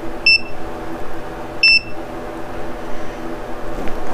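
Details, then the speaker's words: Mercury Thunderbolt 500 50 hp outboard during rebuild, setting secondary timing at 35 degrees: at wide open throttle, two short high continuity-meter beeps confirm the stop screw is just touching. "So at wide open throttle, you hear it beeping. So right now, if you look down there, that screw is just touching."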